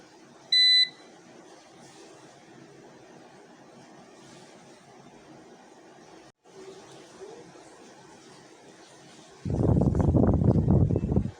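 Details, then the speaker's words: Old UPS (Series P1) unplugged from the wall and running on battery: one short, sharp high-pitched beep from its buzzer speaker, then handling noise; the on-battery warning. Desoldering the speaker silences it. "Okay guys, doon naman sa yan, oh, yan tunog na yan regarding sa buzzer na yan."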